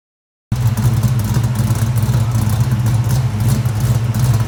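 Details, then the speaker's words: Ford 347 stroker V8, 9.5:1 compression, Anderson N91 cam, 205cc 11R heads, Ford Motorsport intake, 750 carb: deep, lumpy, choppy popping idle with strong low rumble; healthy big-cam idle, though an exhaust leak at the collectors needs fixing. "that sound good on it popping popcorn look at that Anderson cam there you right there shout out out to Anderson Ford Motorsport you ain't ly that n91 is sounding awesome"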